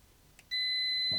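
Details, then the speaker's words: Renault Twingo two-cylinder fault, ECU accessed, multimeter continuity test on injector wiring from ECU to connector: steady high beep; wiring intact, fault pointed to ECU injector driver transistors. "I found one of them, and I want to find the other one. There we go. I found the other one. So the wiring going from this to the connector is working."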